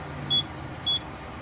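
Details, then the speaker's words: Truck cab during air brake practice check: three sharp high beeps about half a second apart, the low air pressure warning sounding because the brake air tanks are not yet built up (around 60 and 90 PSI). "um so then our air brakes right now you can hear the indicator light which is telling you that there's not enough air in the brakes"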